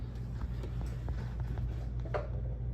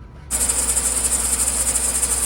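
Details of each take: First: 2013 Chevy Suburban after replacing the idler pulley, tensioner pulley and serpentine belt: engine revved, even low hum with no squeak or chirp; normal belt drive. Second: 2013 Chevy Suburban, engine running: steady piercing high squeal from the accessory belt drive, dry bearing-type noise; owner suspects the idler pulley bearing, before replacing idler, tensioner pulley and serpentine belt.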